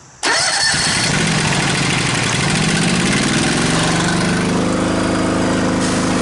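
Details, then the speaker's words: Honda GX630 engine on a trailer hot-water pressure washer: runs, then bogs down each time the trigger loads it, recovers when released, and sometimes stalls at full throttle. Owner suspects fuel delivery, possibly the fuel cap. Engine bogs under load. "It seems to me like she's having a fuel delivery issue because every time I load her up, she she bogs down and then I let her let the trigger go, let her build up again, she bogs down and cancels right out."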